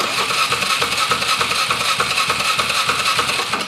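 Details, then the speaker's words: 2007-build Polaris Sportsman 450 with aftermarket carb, fuel pump recently changed by owner: even starter whirr, steady compression pulses about three per second, never fires; cranking no-start, suspected fuel supply issue. "I bet you this is a fuel supply issue. Because that's what my gut feeling when it got dropped off."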